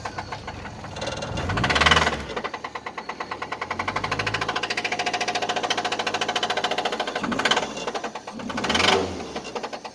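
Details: 1999 Nissan Altima petrol engine with a bad rod knock, a hard rapid knock that gets louder and quicker with each throttle blip.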